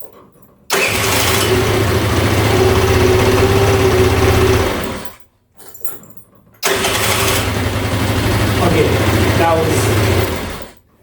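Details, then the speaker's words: GY6 scooter after fitting a new replacement starter motor: two quick, brisk cranks that catch straight away into an even run; old worn starter motor had caused failed electric starts. "Bro, that cranked so fast."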